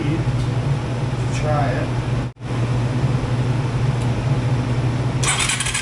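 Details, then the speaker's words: Yamaha 225DX three-wheeler, started with a jump pack, runs rough and uneven, drops out midway, then limps on and won't stay running; carburetor problems remain. "I'm going to say she still has some carburetor issues so we're going to dig back into that we'll bring you guys back and see if we can't get this thing to fire"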